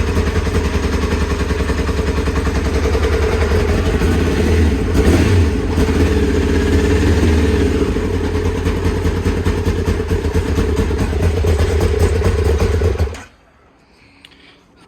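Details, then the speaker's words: Kawasaki ZX-9R first start after over four years outdoors, fired with easy-start spray in air vents while fuel reached carbs: loud, steady four-cylinder bark with crisp revs for thirteen seconds, running cleanly; a fuel leak, apparently from the carbs, was found afterward. "it started alhamdulillah it's really loud in the back Garden neighbors are getting worried"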